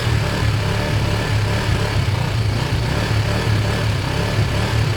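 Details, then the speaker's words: Kawasaki ER5 parallel twin after wire cleaning, new fuel hoses and carb cleans, started on another battery after its own went flat from cranking: steady, even low burble with no misses, knocks or rattles, running normally. "so let's see this should fire up and it should seem ok"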